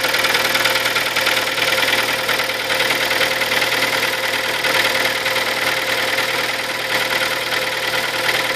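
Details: Kia Sportage, 43,000 km, 4.5 years old, Shell Helix Ultra 5W40 oil; steady idle with a sharp, fairly regular tapping two to three times a second over the engine hum, a knock, cause unclear.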